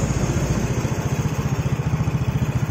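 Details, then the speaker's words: Yamaha Jupiter Z with carburettor already cleaned and needle/air screw adjusted, still brebet with black plug; small engine idles lumpy and uneven, dies unless throttle held; cause found as fuel entering auto fuel-tap vacuum hose, plugged with bolt. "ni ditahan tuh gasnya gasnya ditahan kalau dilepas mati-mati terus"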